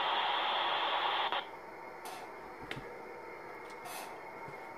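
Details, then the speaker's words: Modified RadioShack TRC-1014 radio: loud hiss for about a second, then low crackly static with faint bursts. Interference picked up on every band, source unknown. "picked up some noise from somewhere on every single every single every single band though"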